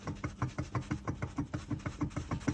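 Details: Tesla front suspension on diagnosis: a steady train of dull knocks about five per second, evenly spaced and clunky, from a knocking front half shaft after replacement.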